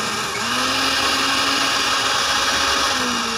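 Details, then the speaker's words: Dowell blender after repair: a steady, even high whir of blade and motor with no grinding or stalling, running normally. The fault was a power-switch contact that had come loose and fallen off, so the motor would not spin. "Okay na gumana na uli yung ano yung blender na to bale naging problema ito yung switch niya rito"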